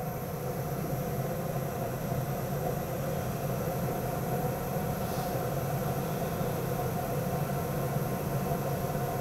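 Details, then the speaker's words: Lennox gas-fired furnace after burner ignition and flame proven, board starting the blower: steady even whoosh of air with constant low hum, no rubbing or rattling; blower motor running normally. "so in just a second here we'll hear our blower motor kick on"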